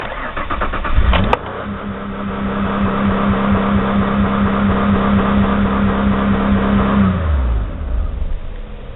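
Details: 2001 Ford Escape V6, started by camera on tachometer: cranks, catches, runs raised and uneven for seconds, then sags and dies; won't idle, warm idle very low (about 200 rpm); faulty idle air control valve, later replaced.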